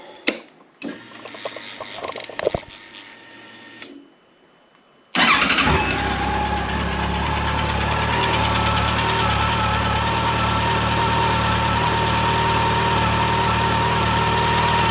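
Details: 2024 Yamaha FJR1300ES at 960 km, started after first oil change: catches on the starter and settles into a smooth, steady, even idle with no knocks or ticks; normal.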